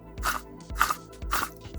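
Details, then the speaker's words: Ford Fiesta Mk6 Ghia, rusty strut top mount removed from spring and shock to chase a mystery rattle, turned by hand: gritty crunching about twice a second with play in it; rough worn top mount bearing, suspected rattle cause. "the bearings inside don't sound very healthy, so I think I'm going to change that anyway, and if that is our cause, then that will be absolutely great."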